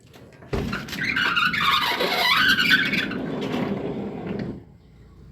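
A wavering high squeal lasting about four seconds as a car door swings, typical of a dry roller or hinge.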